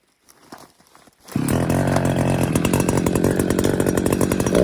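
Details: Chainsaw running in the Alberta forest, either the new Little Beaver TCS4600 or possibly the Echo with a 24-inch bar brought for 18–20 inch trees. Fires up into a steady, even two-stroke buzz with no misses or surging; healthy.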